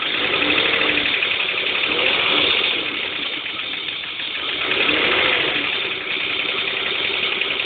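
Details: BMW M50TU B25 inline-six idling: a quick, uneven clicking tick riding over the hum from the engine; owner asks for advice, source not identified.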